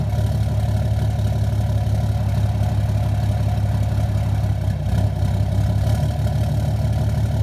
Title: 2013 6.7 Cummins Rough Idle/Surge Issue